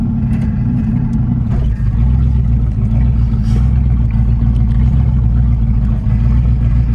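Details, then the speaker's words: 1985 Chevrolet Camaro Z28 V8 after sitting 13 years, driving off; deep lumpy idle like a big cam with uneven beat, running a little rough, owner suspects the old gas poured in. "She sounds like she got a big old cam, but she's running a little rough. Could be the old gas I poured in it."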